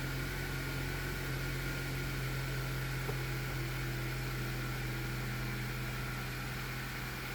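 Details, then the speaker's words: 2012 Honda CR-V 2.4 K24 after timing kit replacement and valve adjustment to cure VTC rattle on start-up; first start shows a smooth, even idle with steady low hum and no rattle or ticking: normal idle. "all right she sounds good it's funny no matter how many times you take apart an engine I'm always nervous when I first started always"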